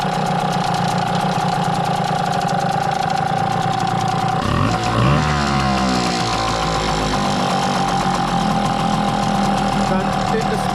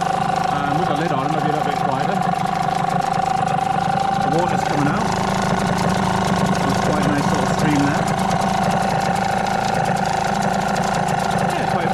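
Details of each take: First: Hangkai T6 6hp two-stroke outboard, first ever start, in water on a cold morning, now warming up: steady even idle with brief rev change; fuel flowing through carburetor, running smooth. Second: New Hangkai T6 6hp two-stroke outboard, first-ever start, in water, 25:1 running-in oil mix, cool morning, choke just pushed in: steady, fast, even buzzing idle still cold, faster than the owner likes.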